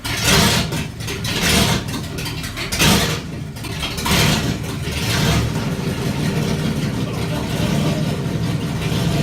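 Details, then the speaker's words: Fox Body 302 V8 build, first start with turbo not fitted, after advancing the distributor clockwise: catches with a few rough bursts, then settles into a steady, even run with no lifter tick; healthy, timing may need slight further adjustment. "so as you can see we had to advance it turn it clockwise a bit to get it to idle right and it still needs a little bit more adjustment probably but like that it would idle and run and it sounded good"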